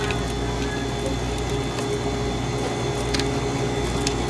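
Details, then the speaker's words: Old Hoshizaki flake ice machine, serviced for a not-enough-ice complaint: steady low motor drone with irregular crunching as ice is pushed up and broken off by the cutter; ice production working normally. "How it makes the ice, it pushes it up, and then whap, the decapitator just takes it down."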